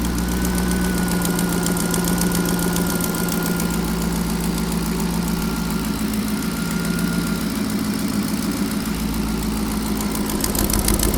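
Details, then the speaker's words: Turbo engine that lost boost and is down on power, idling steadily with a faint, quick puffing tick over the exhaust note from an exhaust leak on one side. The PCV system was recently reworked. "Right now I just got to get it back to where it was by fixing this exhaust leak. So I'm going to crank it up and see if I can hear it, and then it's over there on that side, and then go from there and see if I can fix it."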